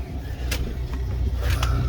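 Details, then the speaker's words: Class C RV generator after fix (power wire had been connected to negative battery post): steady low even rumble, no hunting or surging, some nearby knocks; running normally, powering microwave and air, charging all batteries. "I don't know if you can hear it or not, but the old gen cranks up. We have power on the microwave. The air does work."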